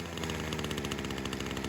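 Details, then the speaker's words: Small two-stroke carb tuning: after the low screw was leaned from a rich setting that had compensated for an air leak, it idles fast and steady with a rapid, even buzz. Idle speed is too high and needs dropping. "There it is, that sounds good. But since we leaned it up, idle's high, let's drop this thing down."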